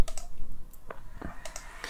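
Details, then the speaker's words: Microsoft Sculpt Ergonomic mouse after replacing the faulty left push-button switch: several crisp, sharp clicks with silence between in a quiet room; button now clicks and works normally. "now the button is working perfectly you can hear the clicks it was not before and it was not working"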